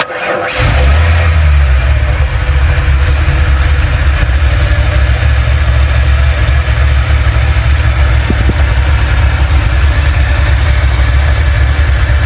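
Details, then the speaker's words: 1968 Ford F100 with fuel-injected 351, timing light on cylinder one: cranks briefly, catches and settles to steady, dull, heavy idle with lazy low note; ignition timing way too far retarded, distributor to be loosened and advanced. "definitely off look like way low all right I'm going have to get something loose to the distributor"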